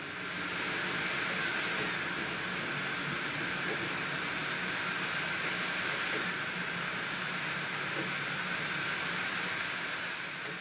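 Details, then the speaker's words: Opened-up optical drive writing a DVD-RAM disc: steady hiss with a short rising whir every few seconds. Each time the laser returns to the disc center, the drive spins back up faster and must wait before writing, which the speaker considers harmful. "that every time it goes back to the center it spins it is back up to a faster speed and it has to wait before it can write further data before proceeding"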